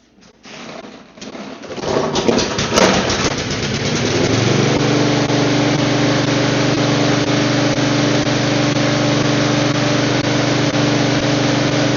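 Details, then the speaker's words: Neglected lawn mower with an automatic choke, started on carb cleaner in a cold garage: cranks a few times, then catches and settles into an even, steady single-cylinder drone with no misses and a little black smoke; runs fine. "I mean, there's a little bit of black smoke, but it started and ran just fine."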